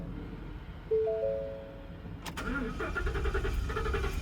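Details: 2019 Ford F-250 no-start complaint: quiet, then starter cranks in an uneven churn about three turns a second and the engine never fires or catches. Crank no start, before diagnosis.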